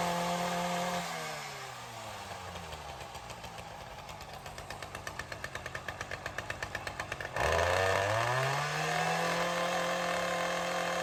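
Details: Ryobi CS30 two-stroke string trimmer, cold start on new HiPA aftermarket carburetor, untouched since tuning, primer not yet used: idle buzz sags into slow popping for a few seconds, then snaps back to a clean steady idle; tune holding. Normal.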